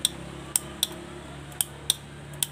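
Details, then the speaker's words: Honda Beat FI scooter with rough starter: sharp dry clicking, about six clicks in under three seconds, with no cranking; faulty starter bendix/starter motor causing the clicking. "Ini yang starternya kasar ya. Sama kelahnya guys bunyinya cecak-cetik."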